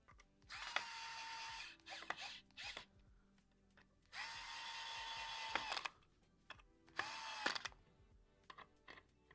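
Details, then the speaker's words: Electric screwdriver driving a screw into a dye rotor prototype: short whirring bursts, then quick ratcheting clicks as the screw seats; the torque clutch is slipping at its setting as intended. "And you can hear that clicking sound. That's the the torque. That's the clutch. Just perfect."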